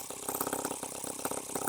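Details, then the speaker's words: H76 Microcosm twin-cylinder model engine on the bench, water cooling hooked up but the pump not yet drawing: quick, even popping with both cylinders firing steadily, though idling faster than it should; normal running on two cylinders. "the water pump hasn't picked it up yet we are running on two cylinders"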